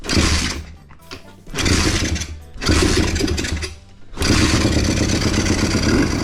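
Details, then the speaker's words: Pit bike single-cylinder, started with choke off: idle runs a little high and unstable, hunting up and down every few seconds, idle screw doesn't respond. "I started the Pitbike. The rpms are a little higher and unstable. The idle screw doesn't respond."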